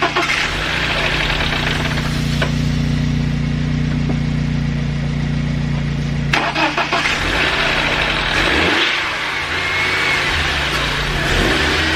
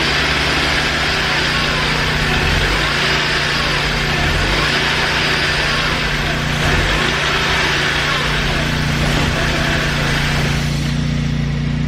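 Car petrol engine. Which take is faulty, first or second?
second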